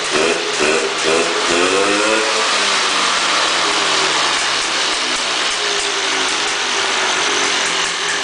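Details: 1995 Polaris 400L Sport two-stroke ATV after cleaning exhaust and fixing the leaking exhaust seal: quick revs settle into a steady, crisp run with no popping or exhaust-leak rasp; normal running.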